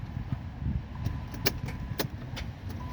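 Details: 2014 Chrysler 200S 3.6 no-start: sharp single clicks about every half second with no cranking, lights staying bright; bad starter, which may be freed by hitting it with a hammer.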